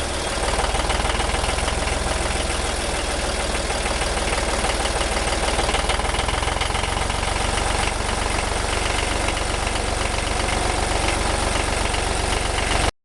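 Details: 1963 Renault N70 three-cylinder diesel tractor after fitting three new cylinders in October 2013, 60 hours since; steady even idle, smooth low thrum, no knocks or misses; normal idle.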